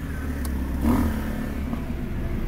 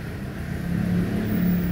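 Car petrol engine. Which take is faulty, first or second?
second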